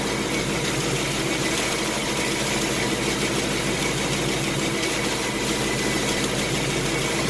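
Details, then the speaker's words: 2018 Mustang GT Gen 3 Coyote V8 with about 3,000–3,200 miles, on a cold start in a garage with the X-pipe exhaust in quiet mode: light, quick intermittent ticking over the idle; top-end "typewriter/BBQ" tick, cause not pinned down. "cold start went smooth like normal well I started hearing as an auto down an intermittent tapping or a ticking issue"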